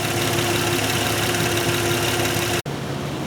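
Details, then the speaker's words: Nissan Maxima after replacing the number three fuel injector: steady, even idle with no stumble or skipped beats, running smoothly on all cylinders; misfire fixed. "it's nice and steady no miss it revs good so we definitely fixed our misfire"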